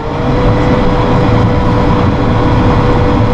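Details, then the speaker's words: Massey Ferguson tractor with hydrostat in turtle mid-range, response control at about half; steady, even diesel drone builds up higher as load comes on before moving, no knocks or misses; normal load-sensing rpm rise. "see how it builds up power and then they started moving you can hear it build up higher"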